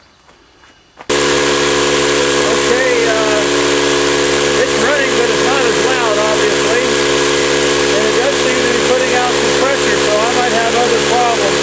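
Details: Campbell Hausfeld 20-gallon oil-less air compressor that won't build or hold tank pressure (no leaks found when sprayed): steady motor drone with a quick pumping pulse about four per second and a thin hiss, very noisy; weak output from a worn compression ring, before ring replacement.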